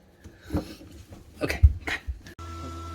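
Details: Fisher & Paykel double-drawer dishwasher, top drawer, after drying water from under the drawer that tripped the leak sensor: a few handling clunks, then the pump starts with a steady, even hum and no constant beeping. Normal operation.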